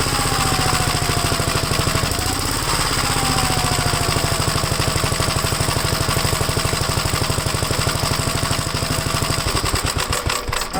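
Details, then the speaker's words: Second Gravely project's single-cylinder engine, run on a 12-volt battery while checking the oil pressure gauge, with the PTO shaft in: steady, even thumping at constant speed with no misfires, knocks or rattles. The owner says it runs good. Normal running. "yeah I'm surprised this one runs good too it's a winner"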